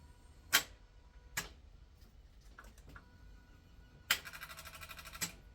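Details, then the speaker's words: Engine being rebuilt, first crank attempt after reassembly: a few sharp clicks then a fast run of light ticks with no cranking when the key is turned; judged a flat battery. "Okay, that sounds like a flat battery. It does sound like a flat battery."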